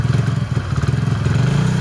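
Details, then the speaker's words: Hero Passion Pro after a full engine rebuild, kick-started on choke, then choke off. Steady, even low single-cylinder thump at idle with no knocks, misses or surging; engine sounds healthy. "ఎట్లా వస్తుందో చూడండి ఒకసారి అయితే engine sound మంచిగా వస్తుందన్నమాట."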